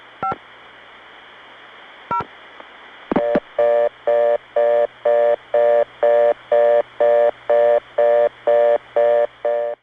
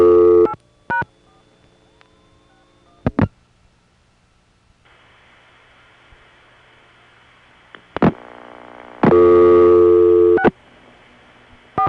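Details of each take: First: Non-standard reorder tone reached via the East 97th Street No. 4 tandem, New York City, early 1980s: clicks, then an even tone pulsing about twice a second with an off-standard pitch blend; not a Bell System reorder, yet heard in the Bell System. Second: Normal crossbar ringback: a steady, slightly gurgly ring burst of about a second and a half, clean and even; the gurgle comes from equipment on the line. Shown for comparison with subtly off ringtones on a crossbar 1.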